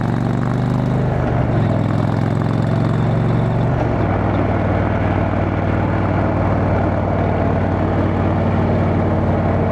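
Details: Motorcycle riding home after failed exhaust gasket replaced, bike still needing a tune: steady even exhaust drone, pitch stepping down as revs settle, no puffing or ticking; exhaust leak fixed.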